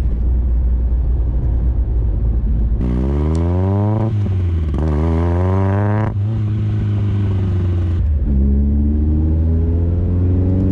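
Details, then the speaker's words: VW Scirocco MK2 with Yamaha R1 engine conversion on rebuilt R1 carbs, first road drive, loud exhaust: revs climb, then sag and hesitate around 3,000 rpm before pulling hard again; carburation flat spot. "It's a bit of a flat spot, about £3 grand, but when you open it up, my god, it's so good. There's the flat spot there."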